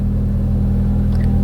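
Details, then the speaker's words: Mk1 Audi TT after fuel pump replacement in the sender unit, low on petrol: starts first time and settles into a steady, even low hum with no knocks or misses; normal idle. "yeah there we go needs a bit of petrol but it's starting first time which is good"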